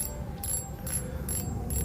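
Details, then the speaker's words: Modified RX King fishing reel clicker (chain-link plate, steel-wire L piece, triple spring) turned by hand: crisp, even ratchet clicks in steady bursts; tension set moderate, loud enough without wearing out fast, and working properly. "Dia akan suaranya akan keras tetapi dia akan mudah rusak juga. Setelah kita setel mana yang terbaik dan menurut kita mod cukup terdengar, sudah kencang."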